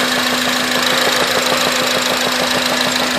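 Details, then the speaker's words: Stock 2005 Acura RSX Type S at 88,000 miles idling with a steady light knock, about three taps a second, over a hum; the knock is much louder when revved, with no check engine light. Cause unknown. "so the car at Ido it sounds like it's fine but it really isn't there's this small knocking [Music] noise not sure if you can hear"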